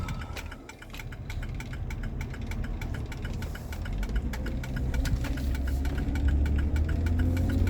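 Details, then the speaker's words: 2004 Jeep Grand Cherokee after front differential fluid change: sharp light clicks about four per second over a low rumble, as if something on the driver's side is catching, only when applied; cause not confirmed. "it almost sounds like the driver job is catching something check it's only when I applied"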